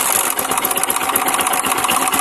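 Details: Motorcycle engine after rocker arm replacement, camshaft previously damaged: fast busy metallic valvetrain clatter with bright ticking at idle; timing chain tight, strong oil flow; cause found as wrongly installed washer at rocker.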